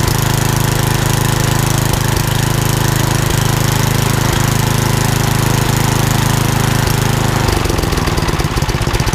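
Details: Old rusty Tecumseh 10 hp HM100 single-cylinder engine after a genuine Tecumseh carburetor replaced a knock-off one (knock-off carb or its corrosion blamed), muffler refitted: steady even chug at constant pitch, then a smooth change in note; runs beautifully.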